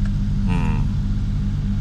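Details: Suzuki Jimny JA11 after a fix for a hard-start problem with clicking and a dead-battery-like clunk, run with a made-up wiring harness to raise and stabilize voltage: steady, even low idle rumble with no stumble or misfire; running normally.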